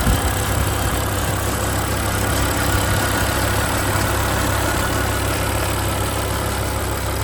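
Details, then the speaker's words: 2007 BMW M6 convertible, V10, SMG, 67,000 miles, at idle: fast, loose metallic buzz like thin metal vibrating against the exhaust; owner suspects heat shields, and prying them with a wooden hammer quieted it. "I did take a hammer, a wooden hammer, and I pried a little bit on the heat shields and did quiet that noise right up."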